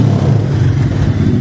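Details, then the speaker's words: Yamaha XTZ 250X (Lander X) after repairing engine/cylinder head noise, which began after it died while riding: steady, even single-cylinder beat with no ticking, knocking or rattle; engine sounds healthy. "vamos falar que foi a primeira vez a ansiedade não deixa a gente gravar a primeira partida mesmo já liguei e ficou muito bom"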